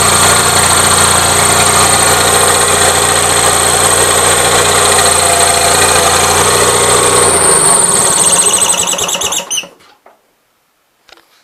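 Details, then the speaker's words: Gravely 450 with Onan CCKA twin idling with a steady tick about three to four per second, then shut off, after an oil filter change; no change, owner suspects cam bearings; abnormal engine noise at idle. "so no change so back to cam bearings like I said I've had two or three different people tell me cam bearings is what's going on"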